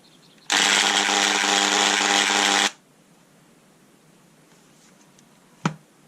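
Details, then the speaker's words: Bosch delta sander with head removed: harsh, high-pitched buzzing whir for about two seconds, then cuts off, with a burning smell; motor running rough and noisy, cause unclear. "yeah and it smells burning we've got another fault the noise from this is driving me up the pile"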